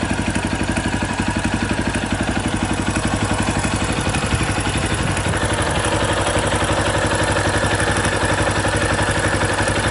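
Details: 2018 Yamaha Tricker XG250 single at idle, about four beats a second, with a light metallic clatter on each beat. Cam chain noise, addressed by adjusting the cam chain tensioner; the stock tensioner was self-adjusting.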